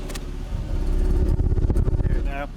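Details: 2002 Ford Focus 1.4 petrol with P0304 and P0420 codes, revved: uneven, stumbling, choppy note with blue-white, bad-smelling exhaust smoke. Misfire on cylinder 4.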